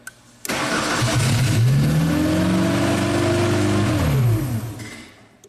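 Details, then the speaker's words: 1999 Genie Z45/25J, Ford LRG-425 four-cylinder fuel-injected engine: it fires and runs about four seconds, then winds down. The relay cut out when the RPM signal was lost, an ECM-commanded shutdown; it ran only with a jumper wire. "Okay, so the relay kicked off as soon as we lost our RPM signal. That's good. Okay, so basically now we have an intentional shutdown. It's happening from the engine computer side."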